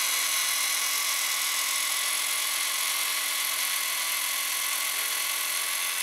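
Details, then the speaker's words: Panasonic PV-V4660-K VCR, owned since 2012, belt replaced by a rubber band; it sometimes slows, possibly due to the band, and owner notes it stopped rewinding before the beginning without the original. Steady high motor whir with faint even flutter; rewinding fine to the beginning. "but it works fine if we're going to the beginning"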